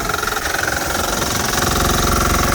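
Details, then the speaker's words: Bolens HT-23 tiller, small petrol engine idling: a fast, uneven knocking rattle from the loose attachment sliding side to side, whose bolts need tightening, plus a steady high whine. It is also leaking something. "Yeah, she's getting pretty loose down there. The whole thing's sliding side to side. Definitely have to tighten up those bolts."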